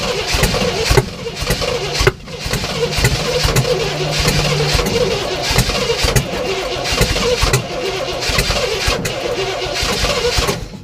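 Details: 1967 Oldsmobile Toronado project, fuel poured down carb with throttle pumped: long steady cranking with brief catches that fade straight away; fires but can't keep running without help.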